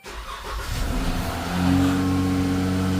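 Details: 2012+ Chrysler 300 3.6 V6 after an oil cooler housing replacement set multiple sensor codes, with a connector showing 5 volts: brief crank, then a clean catch and smooth idle.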